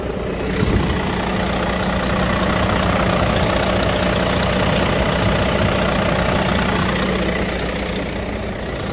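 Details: Volvo D13 dump truck diesel with hard restart 5–10 minutes after shutdown, after replacing the one-way bulb, both fuel filters and the pressure return valve: steady, even idle with smooth low rumble, no misses or knocks; starts with one click.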